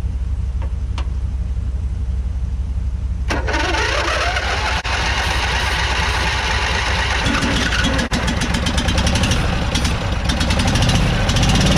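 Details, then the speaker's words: Abandoned barn-find riding lawn mower with throttle wide open and starter spray: uneven cranking stumbles into ragged firing with sharp pops; intake backfire with fire out the intake, later blamed on a valve not seating. "guys that is actually not the first time we've had fire out the intakes we're going to uh remove this bad boy so we don't do that again"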